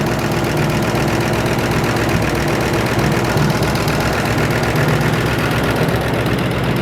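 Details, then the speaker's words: 1962 Mercury first start after sitting 30 years, new solenoid and battery, oil pressure present, alternator charging: rough idle with light fast ticking about two to three per second; valve train clatter, no leaks seen, then runs out of fuel. "it's actually idling a little bit of valve train clatter van is straight out of fuel I don't see any leaks either"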